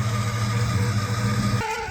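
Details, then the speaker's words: 1968 Pontiac LeMans/GTO, sat 14 years, on a 1,100-mile road trip: steady engine drone with a constant rough whirring from the front alternator bearing, which just died. "but it sounds like the bearing on the front of the alternator just died sounds like holy hell so that's going to be an issue"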